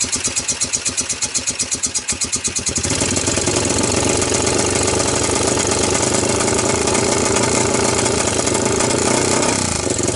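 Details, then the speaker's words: 1998 Honda TRX300EX quad after a carb swap (PZ27), CDI swap and loosened intake valves, started on choke with no gas tank. It cranks with slow regular pulses, then catches and runs unevenly at a ragged, hunting idle. Owner suspects the carb fuel level is wrong. "so I think my my problem is this carburetor the level is not in a good place it's probably not quite flooding because I don't see gas all ov"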